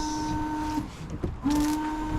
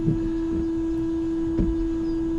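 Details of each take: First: Range Rover Sport L320 washer system after fixing bottle and jets: small electric pump whirs with a steady high hum, drops out, then spins up again; front and rear washers working, broken pipe still to be sealed. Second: Range Rover Sport L320 windscreen washer pump: a steady electric whine that briefly cuts out and restarts, with occasional clicks. The pump runs but nothing sprays; something inside the nozzles is suspected of restricting the flow.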